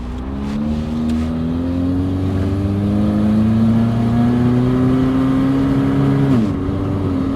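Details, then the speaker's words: 1992 Saturn SL2 twin-cam $300 beater pulling away on the road: rising drone wavers and stumbles under throttle, spitting and sputtering under load; owner suspects old gas, cause unconfirmed; transmission bangs into gear but shifts, later cruising near 55 mph at 2000 rpm. "okay she is spitting and sputting he might be riding on some old gas here"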